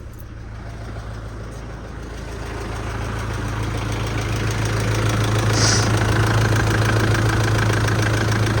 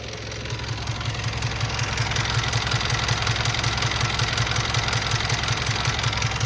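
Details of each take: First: Mitsubishi L200 diesel first start after major service, cold with glow plugs: ticks over evenly about 200 beats a minute, little rattle or diesel vibration; healthy idle, no leaks. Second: Mitsubishi L200 diesel after major service and test drive: smooth idle with light regular tick about 160 a minute; owner suspects valve/tappet tapping, unconfirmed.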